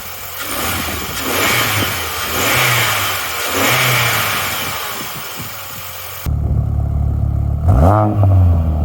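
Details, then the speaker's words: R50 Mini Cooper salvage car, first start after a no-start fix, fuel pump heard priming: after a noisy start the engine idles evenly and picks up cleanly on a quick rev, sounding healthy; normal revving. "right let's give it a go ah no way it actually runs that was an easy fix that's probably the easiest fix I've ever had to do"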